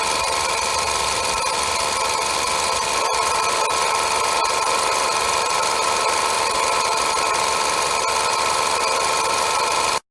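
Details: 2005 Nissan Wingroad (DBA-Y12), 103,064 km: constant loud droning roar with steady whine from the alternator; worn alternator bearing, fixed by fitting a rebuilt alternator.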